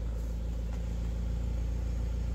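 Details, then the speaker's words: Suzuki Swift at idle with the AC on after throttle body cleaning, holding about 800 rpm: low, steady rumble with no hunting or misses under the AC load, a normal idle. "आप AC के साथ आप देखें, अगर AC चालू है 800 की रफ्तार से चल रहा है।"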